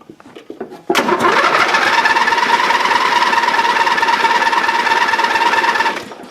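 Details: Dynamark riding lawn mower right after the carburetor was removed and cleaned of green gunk: about five seconds of rapid, even starter cranking that never catches; the engine cranks but won't fire yet.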